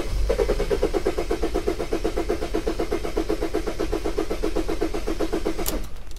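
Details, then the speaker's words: Mercedes Sprinter diesel van cranked with the cam sensor on top of the engine unplugged, while rail pressure is watched: steady cranking about four beats a second for five seconds, never catches; no start with the cam sensor disconnected. "all right so I've disabled the start by disconnecting the cam sensor at the top of the engine and I want to show you the rail pressure on when you're starting"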